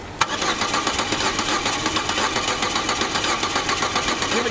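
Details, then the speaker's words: Off-road budget car that wouldn't start: starter cranks in quick regular pulses, about four a second, never catching; spark plugs found fully oil-soaked, causing the no-start; oil cleared by cranking with plugs out. "oh no that one was like full on oily the whole way that's why the car's not starting"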